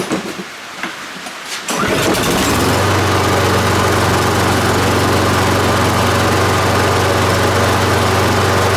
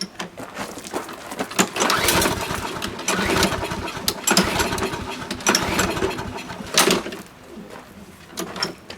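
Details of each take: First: Husqvarna AWD push mower, Briggs & Stratton 7.25 hp, after cleaning fix for spring no-start: catches within a second and settles into a steady, even idle putter with no misses; normal start and idle. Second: Husqvarna AWD push mower with Briggs & Stratton 7.25 hp engine in spring: repeated pull-cord rasps with no sputter, cranking but never firing; it runs on starter fluid but won't stay running on its own.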